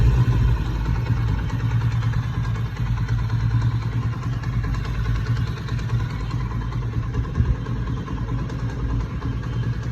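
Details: Motorcycle engine after noise problem repaired: low, even putter at idle with no tapping or rattle on top; engine sounds settled and healthy.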